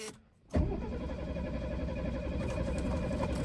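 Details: 1973 Mercedes with a replacement carburetor just fitted: starter churns steadily for about three seconds with no firing or catch; cranks but will not start.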